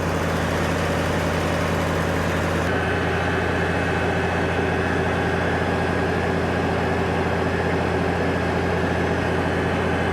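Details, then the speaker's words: Farmall 706 tractor idling after fixing a botched generator-to-alternator conversion that let the alternator flop and break its charging wire: steady even low drone, no knocks or slapping; alternator now stable; normal idle. "Hell yeah, look how stable that is. That is awesome. Excellent. Before that thing would just flop around."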